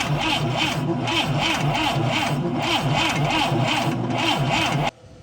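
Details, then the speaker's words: ASI boat engine unrun for 15 years: even, steady cranking at about four turns a second with no firing; fuel line disconnected from the carburetor shows no fuel, the fuel pump has failed. "okay so i have been cranking this thing over and fuel is not coming out the top here"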